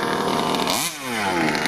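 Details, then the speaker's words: Rovan Q-Baja Shorty 29cc two-stroke 1/5 RC car near the end of its first run-in tank, revved harder, tuning untouched and bone stock: crisp buzz that dips and climbs cleanly with no misfire; running well. "okay well getting near the end of the [Music] tank and just revving a little bit more and [Music] more sing really nice I've not touched any of the tuning on the car or anything just bone [Music] stock"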